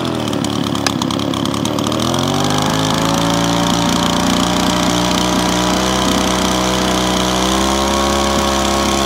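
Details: Small two-stroke leaf blower, started on choke after priming and cleared of bad pre-mixed fuel that kept it from starting, buzzes up for two seconds then holds a steady, even high-pitched run, though smoky.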